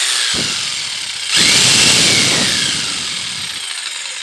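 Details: Bosch PST800 PEL 530 W jigsaw running on 240 V: a steady high-pitched buzz holds at full speed through the cut with no bogging or stutter; the jigsaw cuts normally.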